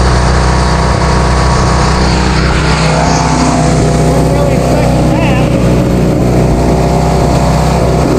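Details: Vintage Hydra-Mac mini skid steer, just started after cleaning the ignition points: small engine racing fast and steady well above normal idle, never settling; high idle from a sticking throttle.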